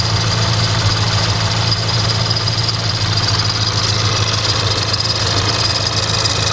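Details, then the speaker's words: Crashed VW Polo R-Line after new engine wiring loom, breather pipes off: loose uneven metallic rattle and hiss over a rough idle, sounding like chain rattling on the case; wiring ruled out, owner plans spark plug change next, cause unconfirmed. "you can hear that noise that sounds like the chain that does rattling on the case"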